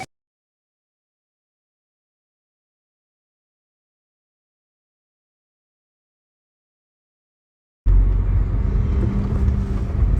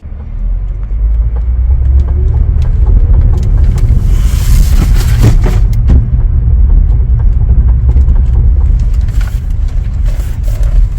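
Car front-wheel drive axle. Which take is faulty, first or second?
second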